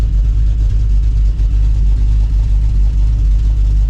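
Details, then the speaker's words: Cammed 5.9L Magnum V8 Dodge Dakota R/T after the cam swap, distributor and timing reset, and electrical fixes: a deep, even, loping idle at about one lump per second, running smoothly, though a known exhaust leak remains. "sounds pretty good right now as far as how she's running I do have an exhaust leak which we have to fix some point"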